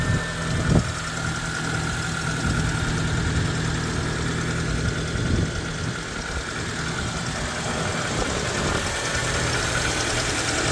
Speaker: this video is going to be me starting up a Mitsubishi 12 valve magma engine in a 1994 Proton Saga it's a 1.3 this engine and it is the GL Edition on this car so let's start it up and you can hear that engine take over